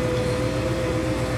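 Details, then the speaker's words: Engine running with the radio off. A steady thin whine of about 500 Hz comes through the car speakers and rises and falls with rpm: alternator whine from a ground loop. A loose ground is suspected after off-roading; the fix is grounding the stereo directly to the amp. "I don't know if you can hear that hum yeah goes up and down with as I'm president grab the engine yeah that's annoying"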